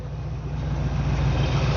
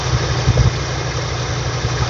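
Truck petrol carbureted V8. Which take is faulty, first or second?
first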